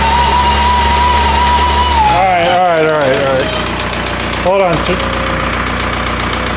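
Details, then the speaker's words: 1999 VW ALH TDI diesel being revved: clear high whistle that holds, then wavers and drops as revs change and returns on the next blip; owner thinks it's the turbo. "you hear that? I think it's a turbo."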